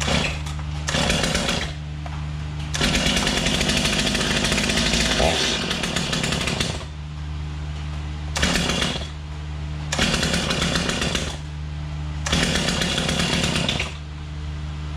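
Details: Stihl MS250 chainsaw after replacing crank bearings and seals, previously grinding and rattling: repeated throttle bursts, revs rise and fall cleanly with no grinding or rattle; running normally.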